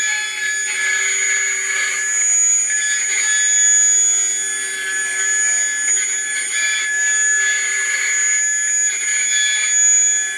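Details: Atlas launcher gyro rotor powered with 115 V AC across terminals A and B with a 270 nF capacitor: high steady whine over fixed low hum with rough hiss; very noisy at full speed.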